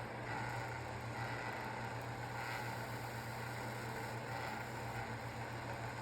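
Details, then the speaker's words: Antique 10-inch GE strap oscillating fan, out of balance and shaking: a steady hum with a buzz coming from the motor housing, which stops when the housing is held. "That buzzing sound is actually coming from the motor housing. So, you can see if I hold the motor housing, the buzzing noise will stop."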